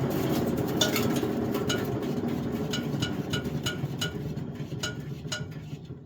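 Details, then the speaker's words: Wood chipper flywheel on tractor PTO, tractor shut off and put in neutral from 540 RPM after greasing: flywheel whirs down smoothly, soft even tick slowly spacing out, no grinding, takes long to stop; normal coast-down. "I'm going to kick it in neutral and just let her stop on her own. She's at 540 RPM right now."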